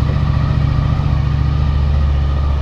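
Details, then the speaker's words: 2000 Honda VFR800 V4, injected, after fixing the ignition coil connector that lost contact over winter and fitting new oil. Steady, even, smooth low-thrum idle, raised, engine still cold, no misses or knocks; all four cylinders firing healthily. "Есть! Заработал! Сейчас кататься поедем. И обороты выше стали."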